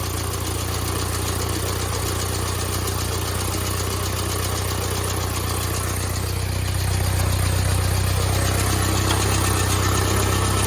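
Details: 1972 Fiat 850 Spider after timing adjustment: steady low idle around four beats a second with a faint unevenness in the pulses; sounds better, but owner suspects the carburetor needs more cleaning, possibly the accelerator pump.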